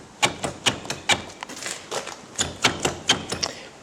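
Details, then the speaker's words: 1974 VW Super Beetle driver's side door window regulator, still winds up and down but squeaky, with sharp uneven metallic clacks about twice a second; worn regulator rattling loosely. "It is actually still winding up and down okay, quite squeaky as you can hear, but the big problem is,"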